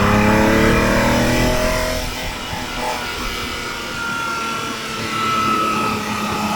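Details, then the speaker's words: Ferrari 365 GTB/4 Daytona Spider V12 on road test after repair: smooth, even note climbing cleanly through the revs, all twelve cylinders firing, lifting the front under acceleration. Healthy engine pulling hard. "down and the sheer power of the engine opens the the lifts the front of the car right off off its right height just absolute grunt amazing"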